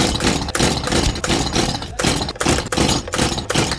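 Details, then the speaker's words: New Stihl MS170 chainsaw over-primed and over-choked, pulled over with choke off: repeated pull-overs with uneven burps and sputters that try to start but never catch, a flooded engine. "okay so you can hear now it's trying to start but it doesn't start"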